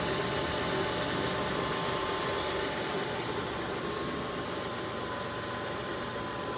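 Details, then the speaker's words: 2002 Kia Sedona EX, new timing belt and pulleys: constant rough growl with faint steady tone over cold idle, barely changed by water on belts; accessory drive suspected (power steering pump, belts, tensioner), unconfirmed. "fans always had this noise i thought it was something coming from the air intake"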